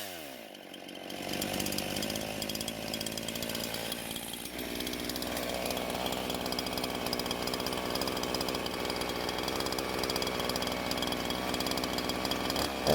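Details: Husqvarna chainsaw that wouldn't start, now fitted with an aftermarket carb, on 89-octane ethanol-free gas with synthetic two-stroke oil at 50:1; crisp even buzz holding steady without stumbling or surging; runs very well and cuts okay.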